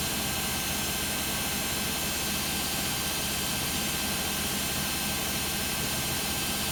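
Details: Beko WM5100W 5kg washing machine, found on the street and plumbed in, test-running a rinse with rags: a steady loud roaring whoosh with no clear knock or rhythm runs through the fast, roughly 10-minute spin. Excessive spin noise; source not pinned down.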